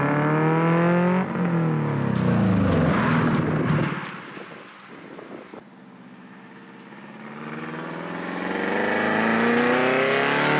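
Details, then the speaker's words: AWD classic Beetle build using a Subaru, first test drive doing higher-speed runs up to 40 with no windshield. Engine pulls cleanly, pitch climbing smoothly through each gear with no stumble. Only minor squeaks from unbolted fenders. Healthy under acceleration. "after that initial run I got a little more confident in the car and I did some higher speed runs"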